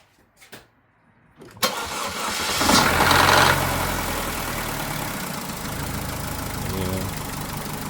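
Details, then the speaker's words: Chevy Cruze just started after an engine replacement (previous engine threw a rod), smoking a little from residual oil; idles with a light metallic rattle, possibly a weak oil control valve, plus a small knock; feels low on power, catalytic converter maybe clogged. "a big fan of that rattle. I mean, it could be from a weak oil control valve."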